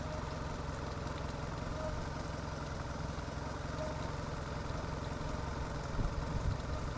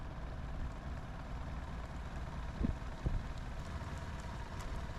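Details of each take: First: Sea Ray boat engine after a new fuel line and new idle air control valve: a steady, even low rumble with no misses or hunting, idling at the correct rpm. It is fixed. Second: Sea Ray boat engine after broken fuel line replacement, cylinder drops even on all four, idling low. Slow, deep, steady idle with soft thumps. IAC fault active, IAC test shows no reaction.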